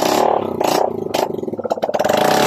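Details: Honda Click 125 fi after overhaul with new connecting rod and side bearings, muffler refitted: quick rev blips rising and falling cleanly with steady exhaust beat, no knocking or clatter; engine runs fine.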